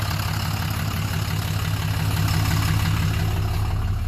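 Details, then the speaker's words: 2007 Dodge Ram 2500HD 6.7 Cummins diesel after original TIPM reinstalled to fix no crank/no start: starts and settles into a deep, steady idle with even beat, no knocks, misses or hunting; normal diesel idle. "so now what i'm gonna do i'm gonna go ahead and start it you can hear it run runs"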